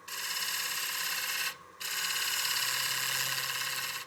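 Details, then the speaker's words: Cutting a highly figured walnut platter on the lathe: a harsh, high, raspy buzz that drops out briefly and returns as the tool chatters on the rim edge; the fix shown is switching the handle over and easing off the cut. "you're getting some chatter on the edge of your rim like that, you can hear the chatter we're getting."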